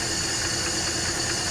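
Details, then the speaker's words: 1968 Ford F100, one-barrel carburetor, Midas muffler, first run after sitting about 20 years: even, steady idle with airy carburetor intake hiss as the loudest noise, no knocks or stumbles; normal healthy idle. "the price was right listen to this thing purred up seriously the air velociously flowing through that one barrel carburetor is the most noise this thing's making"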